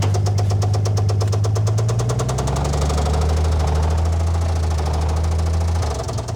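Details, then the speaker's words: Old Dodge Power Wagon flathead engine at low idle with a 12-volt coil and no cooling system. A sharp, uneven knock about three times a second rides over the rumble, pointing to a worn rod bearing. "I mean, aside from the rod knock, it doesn't sound bad."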